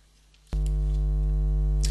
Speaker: now you hear the buzz now you don't this sound is caused by an ungrounded electrical connection